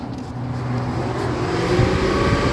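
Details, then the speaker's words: Dodge Journey with dancing coolant gauge and no codes, manual test: electric radiator cooling fan spins up with a steady swelling motor hum and faint relay clicks; fan working. "we have fan you have fan and you can hear the relay clicking all right so we can it's safe to say that the fan is working somewhat"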